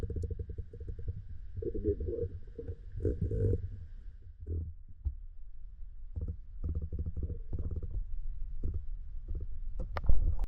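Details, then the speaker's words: 18x36 vinyl liner pool losing almost an inch a day (about 400 gallons), microphone dropped in the skimmer: low gurgling rumble surging in irregular bursts as water is drawn through a broken skimmer supply line, found by dye testing alongside a skimmer body crack. "You can really hear that water rumbling through that brake in the pipe."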